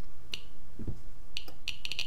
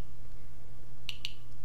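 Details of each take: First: Fast irregular sharp ticks in dense clusters from a Geiger-Müller counter board with Arduino Uno and Nokia 5110 LCD, 5 V powered, with a radioactive source placed near the tube; almost 900 counts per minute over a 15-second period. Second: Geiger-Müller counter board with GM tube, 5 V, read by Arduino Uno with Nokia 5110 LCD; source just removed, readings back to baseline around 40–50 CPM after ~600 CPM peak; two sharp isolated ticks over faint mains hum, normal background count.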